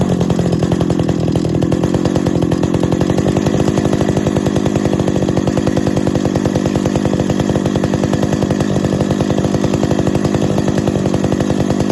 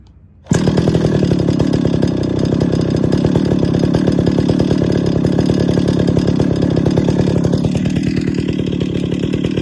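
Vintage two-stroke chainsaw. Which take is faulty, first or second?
first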